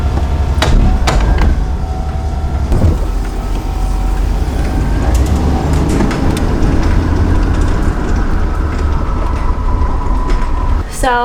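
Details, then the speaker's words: Bus engine after shop repair, driven around the shop: deep even rumble, much quieter than before the fix, faint thin belt squeak still riding on top; charge gauge rising. "I'm just driving it around the shop, and I just gotta say, I drove it around right before he looked at it, and it's so much more quieter."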